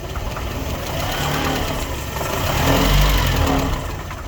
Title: Series 3 Land Rover Intermittent Misfire